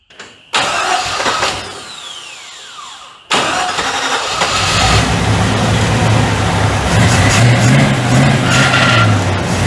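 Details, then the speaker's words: 1940 Chevy coupe after installing a new wiring harness, first run: cranks, catches and settles into a fast, steady idle that won't go lower, since idling it down makes it die; high idle, cause not confirmed. "video tack is working as you can see I can't idle it down any more than that or it won't idle it just dies"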